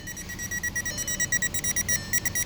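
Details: 2012 VW Jetta that came in as a no-start; the converter box was replaced and it now starts, but there is no communication with any module. Rapid, unbroken beeping at about seven per second, engine off. The owner suspects a bad bus line; cause unconfirmed.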